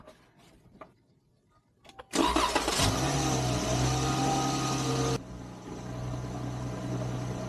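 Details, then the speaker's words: 2017 Dodge Challenger 3.6L VVT V6 after replacing a leaking oil cooler and reinstalling the intake manifold: brief crank, quick catch and short flare, then smooth even idle with no misfire; normal start and idle. "Everything seems to be doing as it's supposed to be doing."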